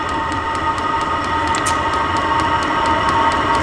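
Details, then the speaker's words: Vevor diesel heater on first test run, fuel pump speeding up as it lights: steady whooshing, turbine-like roar with light pump ticks about three a second; exhaust reaching about 100°, output air getting hot. Normal combustion running. "it's increasing fuel pump is pumping faster and it's really cranking out now okay yeah oh yeah holy crap it's like a turbine"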